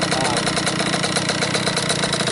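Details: Cobra 50cc two-stroke dirt bike, first start in a couple of days on a humid ~90°F day with head temperature about 86: settles into a fast, even buzzing idle with no misfires or knocks; runs good, normal idle.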